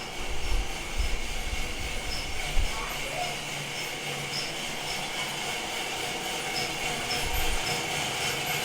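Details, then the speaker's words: Felting machine after tweaking: even low rumble with a few soft thumps in noisy room, no violent jumping; no longer jumping across floor as last week, running well. "It's already working so much better. It's not jumping across the floor like it did last week."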